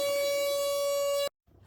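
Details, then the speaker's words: RV winterizing with compressed air: loud steady honk around 600 Hz with overtones that cuts off abruptly; air pressure holding the ice maker fill solenoid valve open makes it honk, lowering pressure stopped it. "So what was making the noise was the air pressure is keeping the valve open. So I lowered the air pressure and it went away."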